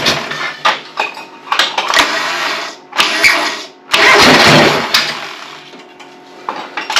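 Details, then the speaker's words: John Deere 425 on brake-clean sprayed as starting fluid: catches but sputters in ragged uneven bursts that surge and die, never settling. Owner suspects plugs fouled from coolant in the air cleaner; carburetor fuel cut-off solenoid later found at fault. "yeah I think I'm going to pull the spark plugs out cuz there's stuff from the coolant up in the air cleaner and I almost bet that the plugs are filed"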